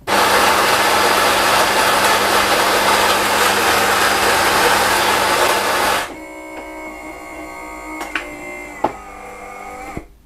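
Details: New Nivona 690 coffee machine in for repair, dumping ground coffee into the drip tray (factory defect, microswitch): six seconds of steady, even grinder whirr on finest grind, strength level 5, then quiet pump and brewing sounds; grinding and brewing normally.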